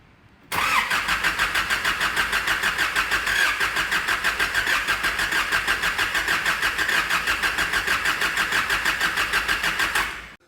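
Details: Nissan ZD30 3.0L turbo diesel with over 415,000 km, blown head gasket case: even starter chugging about three pulses a second for nine seconds without catching; it fired up on the second key turn.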